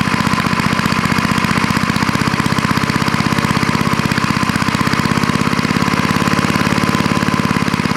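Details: Fast, evenly spaced firing pulses at a constant idle for eight seconds, no stumbles or surging; an old snowblower-collection small engine running after its dirty carburetor bowl and float were cleaned with carb cleaner and reassembled.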